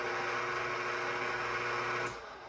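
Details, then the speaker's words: KitchenAid stand mixer with an AC motor that has been overheating and shutting down while kneading dough: a loud, steady motor roar with a high whine that cuts off abruptly. The mixer is excessively noisy compared with a quieter DC-motor Zacme mixer. "the actual function of the mixer, this one's really loud."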